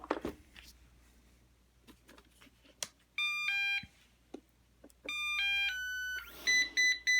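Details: Eufy RoboVac 11 with solid red light: short tone chimes then four quick beeps, the brush-stuck error; after brush and bearing cleaning it persists, suspected brush transmission debris, brush motor fuses, corner brush motors or mainboard; not confirmed.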